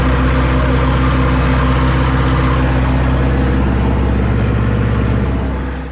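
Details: Ford 2701E grapple log loader with an IEL 240 cu in four-cylinder diesel, idling after its first start in 15 years on old fuel. Steady, even, low chug with no misses or knocks, settling smoothly: healthy idle.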